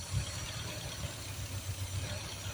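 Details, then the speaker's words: Home-built Triumph Spitfire 1500 with modified 1300 head, small cam, twin SU carbs, Pertronix distributor and carb cheater air valve, running on choke: slightly uneven idle with pulsing and hiss; owner suspects too rich. "you can hear that airb running probably because I on too much probably too rich"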